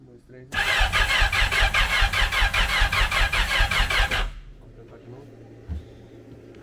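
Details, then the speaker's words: 1000 hp jet ski, Sea-Doo SVHO supercharger with compound Garrett G42-1450 turbo, on FuelTech: starter cranks fast and evenly about four seconds with rhythmic puffs but never catches; engine seems to want compression, cause unconfirmed. "Are you wanting to start It looks like the engine is wanting compression"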